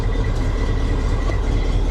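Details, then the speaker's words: 1980 Chevy 3500 square body, assumed carbureted 454 V8, started at auction: low even rumble with steady beat, no misses or knocks; it actually runs really good, normal idle. "Wow. This is... It actually runs really good. It actually runs."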